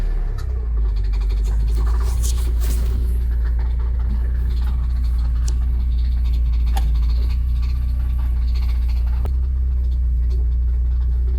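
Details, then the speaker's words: Porsche 944 left 20 years in a hedge, first run and drive in automatic: heavy low drone with loose, irregular clattering worsening, from under the driver near the bell housing; owner suspects the flywheel. "All right, that noise is getting really bad. Sounds like it's right underneath me. It's got to be the flywheel."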